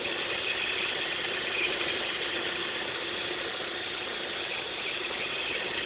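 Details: Opel X20XEV petrol engine idling with a fast, loosely regular ratchet-like ticking over a bright thin running sound; source unidentified.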